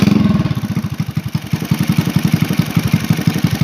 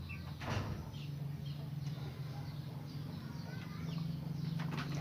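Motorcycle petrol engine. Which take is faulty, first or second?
first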